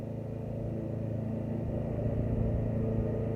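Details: 2006 Briggs & Stratton XC 35 mower that wouldn't start, after fixing a loose brake/kill-switch cable that kept the kill switch closed: small single-cylinder puttering at a steady, even beat with low throaty rumble; normal running.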